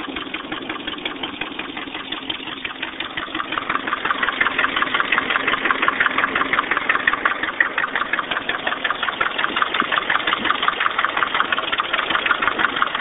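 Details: 1989 Nissan 240SX KA24E idling with a steady, sharp tapping knock about three per second; head rebuilt recently after overheating; owner unsure if rod knock or lifters needing bleeding; cause unconfirmed.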